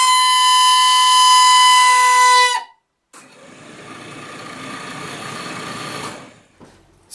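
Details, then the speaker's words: 1968 MGC heater blower motor at switch-on: loud piercing steady squeal, then quieter whirring with faint whine; squeals every winter, often needs several on-off cycles; dry brass bushings, fixed by lubricating without disassembly. "it seems like the bearings or something's rubbing inside the motor that's causing it to squeal"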